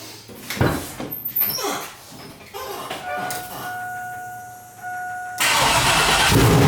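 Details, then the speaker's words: Freshly built turbo 6.0 LQ9 LS V8 Silverado, Holley setup-wizard tune with wrong injector data and taped MAP sensor, first startup, 55 psi oil pressure: fires and settles into fast raised idle; idle too high. "That's a little low because we got a high pressure pump, but not too abnormal. The idle was really high."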